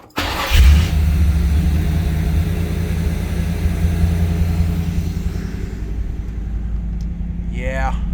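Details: 1984 Chevy Camaro, 355 small block with Quadrajet Stage 2 carburetor, cold start around 40°F after adjusting the high-idle screw: fires and settles into a steady, even fast idle around 1,200 rpm, deep smooth burble, no misses.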